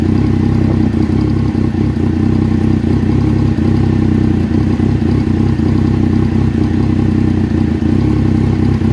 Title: Rough idle 1